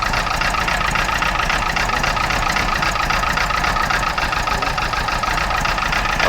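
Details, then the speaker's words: Freshly rebuilt A-series engine in a classic Mini Mark III Cooper S, tested by pulling plug leads one at a time: uneven, lumpy idle stumbling about every quarter second. It runs on three cylinders; cylinder four has zero compression. "So I would say it's running on three cylinders. Given that it's a four cylinder."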